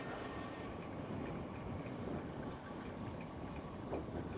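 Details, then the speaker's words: Sixthreezero Easy Transit 750 W folding electric trike, pedalling without throttle: repeated dull clunks through the rolling noise keeping pace with the wheels, a knock seemingly from the rear axle or differential, cause unknown. "I do need to check on that that knock you probably hear it coming from the axle maybe I need to ask 630 if they know what that is why it does that it's just a clunk clunk clunk"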